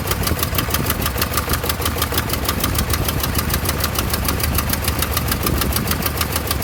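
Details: 1988 Toyota Pickup 22R with Aisin carburetor after head gasket replacement: sharp ticking about six or seven times a second over uneven, lumpy idle; rough idle.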